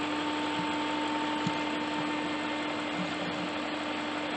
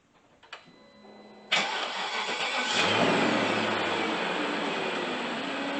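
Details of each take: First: BMW 540i E39 M62TU V8, first start-up after timing chain guide and tensioner replacement: smooth, quiet idle with a faint occasional tick. Owner suspects a sticking lifter in a carbon-laden engine; unconfirmed. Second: 1999 BMW 540i E39, used M62TU V8, first start after timing chain guide and tensioner replacement, no fan or shroud yet, oil with ATF/Marvel Mystery Oil: short crank, clean catch, smooth even idle.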